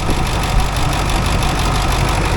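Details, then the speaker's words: Ford F250 7.3 Powerstroke diesel idling just after first start following two starters, a solenoid and new injector driver module; engine light on: steady even low rumble, no misses, knocks or surges; smooth healthy idle. "We've got an engine light on, but I guess that's not going to be unusual. Oh, I tell you what, that sounds ace."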